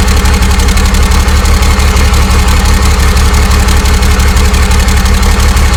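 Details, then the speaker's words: 12-valve Cummins converted to common rail, on its first start: loud, steady diesel clatter at about three beats a second, even and unbroken with no misses. A normal, healthy diesel idle. "all right guys so there you go 12 valve common rail fired up and running you know what it sounds like"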